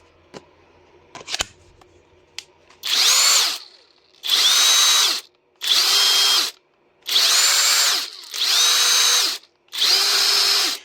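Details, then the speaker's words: Parkside Performance X20V Team impact driver, after repair with an AliExpress adapter and board, trigger button refitted without its spring: six clean high whirrs that spin up and stop evenly, no grinding or stutter; works normally. "ça fonctionne. Impeccable aux petits oignons."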